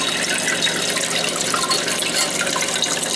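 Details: Old toilet that kept running (high water bill), after tightening loose tank bolts with wing nuts: steady hiss of water filling the tank, no gurgle, surge or trickle after; flushes and refills normally, meter spinner no longer turning.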